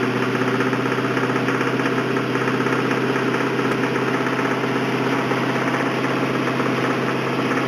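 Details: 1999 Mustang GT 2-valve 4.6 V8 run low on oil, idling: a steady, deep knock about three times a second, rod knock from oil starvation.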